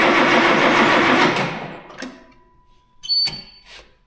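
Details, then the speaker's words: Tractor diesel just refitted with new turbo and injectors, air in the fuel system; long loud crank that dies away without firing, then clicks and quiet; no start due to air in fuel system. "θα χρειαστεί λίγος χρόνος για να ανάψει γιατί έχετε αέρα στο σύστημα, αλλά ας δούμε τι θα συμβεί"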